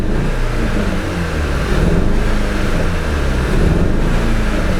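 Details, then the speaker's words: Audi TT 2.0 TFSI, Stage 1 remap: deep lumpy note with an uneven loping beat as it revs; no fault code or warning light yet, but clearly one cylinder missing, a misfire; the engine warning light comes on shortly after. "pas de voyant, mais on sent très bien qu'il manque un cylindre."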